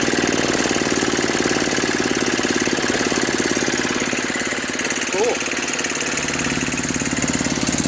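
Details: Brute 24-inch snow blower, 5 HP Tecumseh single-cylinder, after carburetor clean, new correct fuel line and fuel filter (was bogging under load, stalling), cold ~18°F: steady, even chatter throughout, no misses or surging; normal running.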